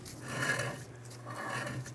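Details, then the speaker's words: 2007-2012 Nissan Altima rear, after installing new parking brake shoes and backing adjustment off 3 clicks, rotor turned by hand: quiet soft scraping swelling and fading, rust on the rotor's back face rubbing the backing plate, shoes not dragging. "I don't feel them dragging. That sound is the rot on the back of our rotor hitting the backing plate."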